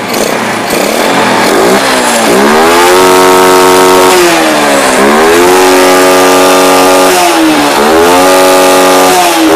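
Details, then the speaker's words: Yamaha Jupiter Z single-cylinder, battery disconnected, running on a known-good regulator/rectifier (kiprok) for comparison: revs cleanly up and down three times, smooth rising pitch, no stumbling or popping. Normal revving; the bike's brebet/backfiring is traced to its faulty regulator/rectifier. "Motor masih nyala karena ini kiproknya masih bagus. Oke, langsung gas ya."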